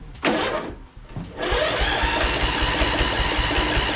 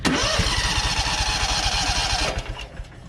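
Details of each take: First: Toro 14.38Z zero-turn mower, cranking on jumper cables with a spark tester fitted: starter spins the small engine evenly for a few seconds with no firing; spark appears dead, so it may not be a carburetor issue. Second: Known-good engine used to test a spark tester: fires straight away and runs evenly about two seconds; a healthy start.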